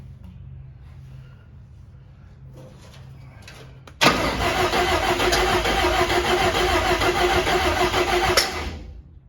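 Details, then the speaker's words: Cab-over van conversion engine with open manifold, carburetor hand-fed fuel: after cranking it barks harshly for a few seconds and won't settle to an even idle; clear timing problem, firing order and plug wires to be rechecked. "anything that sounds like a timing issue that definitely sounds like a timey issue"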